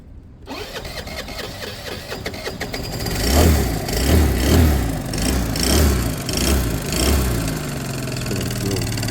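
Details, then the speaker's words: A friend's small Piaggio that failed while being ridden catches and runs with a surging, uneven note rising and falling every second or so; it has good strong spark and fuel is spilling. "see something sounded not right there or I don't like the note change in the engine that I don't like that"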